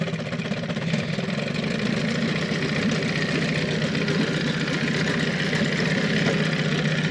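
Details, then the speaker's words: Evinrude 15hp long-shaft outboard, compression about 100–110, carb cleaned, new water pump; low, even putt-putt idle with a steady beat, no knocks or misses, just putting along a little low, running smoothly. "You can bring it down some more even. Just kind of putts along."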